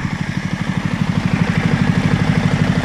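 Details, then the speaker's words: Toro lawn mower engine after repair and tuning, fitted with a new throttle cable: steady, even idle putter of about three pulses a second with no misses or knocks; normal healthy idle. "Tady ten krásný romantický zvuk, co tady slyšíte, to už je to naše toro, poladěný."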